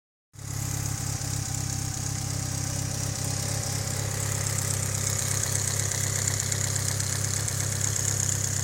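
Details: Mitsubishi Lancer Evo 8 at warm idle, being diagnosed. A light, sharp tick about four times a second stays steady over an even idle; owner suspects lifter tick, not confirmed.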